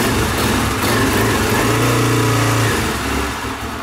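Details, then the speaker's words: Small single-cylinder engine idling cold on half choke, ticking over slow and uneven, nearly stumbling. Idle is too low when cold but fine once warm. Owner says raising the idle cold makes it run too fast when warm. "See, that seems like a really low idle, right? But when it's warmed up, it's fine."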